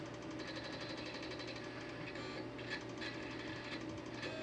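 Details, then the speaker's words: Imation SuperDisk drive reading an inserted installation diskette: quiet, continuous rasping chatter with rapid clicks as the head seeks, sounding like something is broken. "Sounds awful. Sounds like something is broken."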